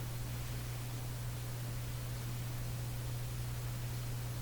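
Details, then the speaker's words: Canadian General Electric A55Z tube radio, powered on during voltage checks (looking for about 106 V; plate at 200 V). Constant very low hum around a hundred cycles over a light hiss, possibly less pronounced and building up; mains hum from the speaker, source not found. "Hum is still there. It might be less pronounced. It seems to be building up a little bit."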